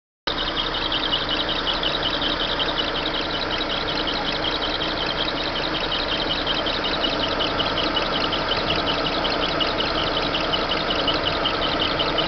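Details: Chevrolet Monza engine at idle: a steady, high, raspy chatter sits over the engine, an irritating noise that seems to come from the engine belt area, though the exact cause is unclear.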